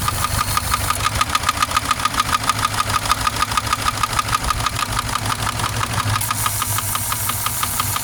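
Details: Subaru engine at idle: steady idle with sharp, regular tick-knock about three per second over the engine; clear knock, cause not pinned down, owner weighing repair versus replacement engine.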